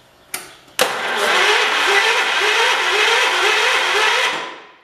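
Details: 1977 John Deere 212 lawn tractor being revived after fuel tank and fuel pump work, battery reconnected: sharp click, then about three seconds of steady, even cranking with regular compression pulses; starter turns the engine over fine.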